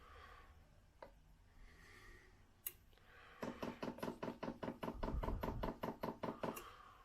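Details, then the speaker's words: Modified Chinese diesel heater with fresh fuel pump, powered from a Mercedes van battery, on auto prime: crisp evenly spaced ticks about 2.5 per second; normal priming, slightly quieter than before the modifications. "happens well interesting I think the prime noise is slightly quieter than it was"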